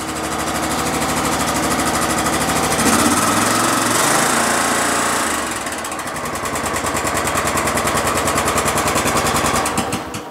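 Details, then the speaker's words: Exmark Lazer Z 60-inch mower with 27hp Kohler engine, carburetor previously flooding, started on choke at half throttle: as throttle rises, a hard regular rap follows engine speed; nasty engine knock. "did you guys hear that knock oh man there's a nasty knock in there"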